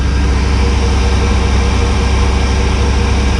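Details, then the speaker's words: Engine after freeing stuck valves and fitting new pushrods, choke on after a couple of throttle pumps: steady, even low rumble at fast idle with no misses, ticks or knocks, running smoothly. "a couple of pumps that's it fast idle works everything's working on it look how smooth this thing runs"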